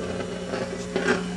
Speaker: there's that nasty noise again and there's no way that you could say it's in a tube socket or anything because the just use alligator clips right to the tube that's a pretty conclusive proof that transformer is bad